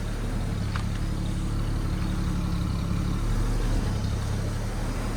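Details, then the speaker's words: 1969 Chevrolet C10 inline six, first run in about nine months, idle screw adjusted, about 10 minutes running on a cold night: low, uneven thumping at idle with the exhaust droning and vibrating; rough idle, cause not found. "The exhaust is what's like so like thumping, like so. Doesn't sound that good. It's like vibrating."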